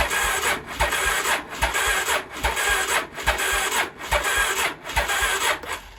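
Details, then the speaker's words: 1983 Honda Shadow VT750C, first start attempt on auxiliary fuel tank, choke on: starter drags the engine slowly, about one labored turn per second, never catching; battery is dead, not a starting fault. "battery is definitely not good there's no way I'm gonna have to put a different battery on it there's no way that sucker's starting on that battery pull so battery must be toast"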